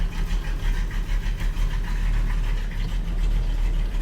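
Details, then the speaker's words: 1937 Buick street rod, hot-running 400 cu in small-block Chevy with aggressive cam and lugging torque converter: deep, uneven loping idle about three beats a second, the rough chop of a big-duration camshaft. "The new engine probably doesn't have as wild of an idle as this. So, I'm going to imagine it's going to idle and want to maneuver around a lot better."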